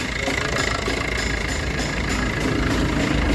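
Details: Maruti Ciaz after replacing the leaking clutch release bearing and changing the oil, filters, gear oil and coolant, started and heard from below; smooth even diesel idle with steady light clatter, no knocks or rattles; normal idle.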